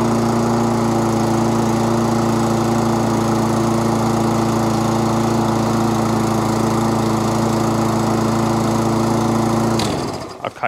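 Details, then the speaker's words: Webb mower with a Briggs & Stratton Classic engine, after a new pull cord, carburettor clean and spring work, having run jittery before: a smooth, steady drone with no hunting or surging, then a clean shutdown, running really well. "runs really really well"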